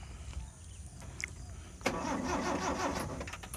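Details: Colt T120 car that is hard to start: after a quiet moment the starter cranks in a steady churning rhythm but the engine never catches; fixed by replacing contact points and point wire and adjusting the distributor.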